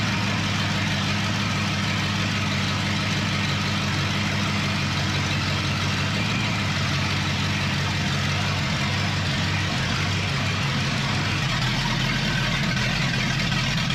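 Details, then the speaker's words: 1962 Mercury Monterey, freshly rebuilt 390 FE V8 with new cam, held at 2,000 RPM for 15-minute cam break-in: steady even rumble, no knocks, misses or ticks; running fine. "yeah I think it sounded fine man wow cool love it"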